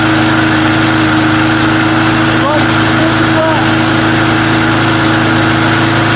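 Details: Small engine after a true cold start with undrained gas holds a steady, even single-cylinder idle with a constant drone, no misses or knocks; owner thinks the primer bulb is partly plugged.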